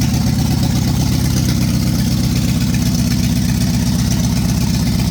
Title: 1965 Ford Galaxie 500 LTD Big Block 352 final run with bad rod bearing and cracked block.